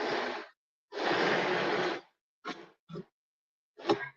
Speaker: to me that's one of the most horrible sounds there is this table should turn smoothly easily and you shouldn't be having that grinding because that's just material that's been caught in the track ideally sawdust